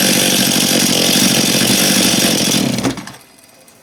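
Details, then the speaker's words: Stihl MS271 chainsaw after clutch drum replacement, chain oiling well; strong, even high-revving buzz for nearly three seconds then drops cleanly, no rattle or bogging, normal running. "it seems good dribbling pretty good there I'm not too too worried about that"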